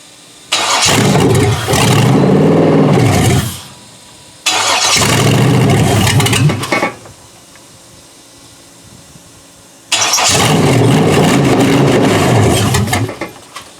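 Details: Junkyard 6.0L Chevrolet engine from a 2002 Chevy truck, pulled from a mud hole, first start on a temporary test harness: three short bursts, each catching, revving briefly, then dying after seconds. Fuel starvation suspected, not confirmed.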